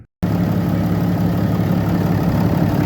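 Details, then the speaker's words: 2012 Ram 3500 6.7 Cummins diesel after water pump and belt replacement, coolant refilled: steady, even idle with a low smooth drone and no knocks, misses or squeals; running healthy, no leaks. "right we got everything running back on I don't see anything dripping"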